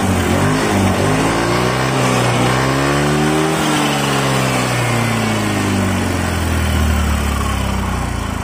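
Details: Yamaha Mio FI 125 scooter that suddenly would not respond to throttle: after repair, the engine note climbs smoothly and falls back cleanly as the throttle is blipped from idle, with no bogging or hesitation. Normal revving.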